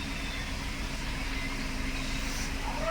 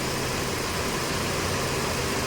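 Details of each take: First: Mercedes-Benz W204/W212 four-cylinder after repair and clearing combustion misfire fault codes: steady even idle hum with no stumbles, no check engine light or new codes; normal smooth idle. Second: Mercedes-Benz W204/W212 four-cylinder with poor pickup, running on three cylinders: an uneven, shaky idle with a stumbling beat, the engine visibly shaking.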